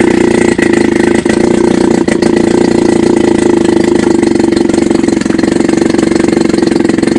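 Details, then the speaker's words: Chrysler Sailor 180 7.5 HP outboard, warmed up, in a test tank in neutral: steady, even buzzing idle with consistent beat, no misses or knocks; normal idle. "let's start it right at this right in neutral that's the idle speed"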